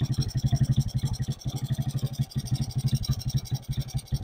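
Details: Suzuki Smash 4-stroke motorcycle, formerly hard-starting and needing the carb choked, after the too-tight valve clearance was loosened: an even single-cylinder putt at about four beats per second, a steady idle with no stumbling or hunting.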